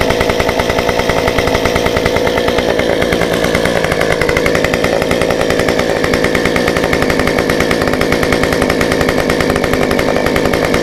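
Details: Stihl 193T climbing saw with muffler mod, about 8–9° timing advance, limiters removed, 93 non-ethanol fuel, restarted warm after 5 minutes off: fast crisp even two-stroke buzz, steady, no stumbles or sags; running cleanly.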